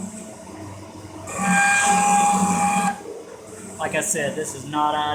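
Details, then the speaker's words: Cincinnati 24-inch metal shaper parting off a gib at 14 strokes/min, 13.5-inch travel, rough-ground cutter in a long holder: a harsh, steady screech for about 1.5 seconds is parting tool chatter, suspected from part harmonics or cutter geometry. "yeah it sounds like horrible but [Music] i think it's just the harmonics of the part too"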